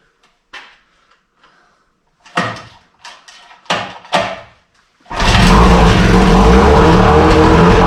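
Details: 1968 Evinrude Fastwin outboard, dirty and untouched, first start in a test tank after the seller said it ran weeks ago: a few clicks and knocks, then it catches and settles into a loud, steady, even buzz with no misses; runs like a top. Normal running.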